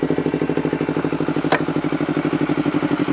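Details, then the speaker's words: Honda CBR250RR after a fix for not idling, sputtering and exhaust backfire (O2 sensor and throttle error, O2 manipulator fitted), warmed up after a long run: even, steady idle with a regular pulse about three per second, no misses or popping. "tadi kita mesin udah mulai deh ya tadi nyalainnya cukup lama jadi dia idealnya sudah mulai normal dp4"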